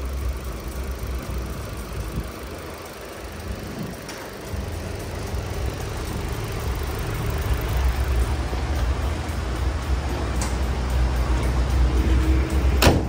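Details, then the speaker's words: Chevrolet Cruze 1.8 engine idling after the strange noise was repaired: quiet, steady low idle with a faint even hum and no whine, squeal or knock; only normal cam gear noise remains. "chỉ còn lại tiếng kêu bánh răng cam thôi ngon chưa"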